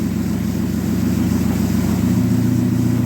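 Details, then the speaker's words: Dodge Neon stock car after crash repairs, running in gear (reverse) with wheels turning before checking transmission fluid: smooth, even idle, steady low throb, no knocks or slips; normal idle in gear. "Now we're going to run the transmission through the gears and we'll check the fluid level. The wheels are turning. Reverse."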